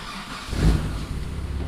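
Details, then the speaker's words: Twin-turbo Mitsubishi 3000GT VR4 (6G72), first start of a poorly rebuilt engine, now running and in time: a throttle blip, then a smooth, steady, healthy idle with no ticking or misfire. A rear main seal or oil pan leak is suspected. "but at least it's running it's running it's in time it sounds good"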